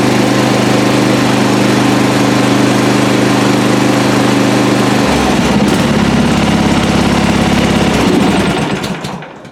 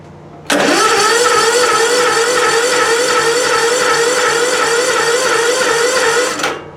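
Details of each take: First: Lawn mower single-cylinder engine started on recovered 12 V lead-acid battery runs with steady even chug, no knocks or misses, before shutting down; healthy, charging system 13.5 V. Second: Small engine cranked without choke on a recovered weak 12V lead-acid battery, cap-zapped and charged at 14.4 volts: slow but steady cranking for about six seconds, holding speed without tailing off.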